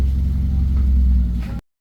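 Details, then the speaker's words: Mazda 2 revived after sitting about a month without starting: steady, low, even idle rumble with no knocks or misses, settling smoothly before cutting off; scanner had shown an ACM power relay control circuit open code. "May muling nabuhay na naman na halos isang buwan na natulog yan."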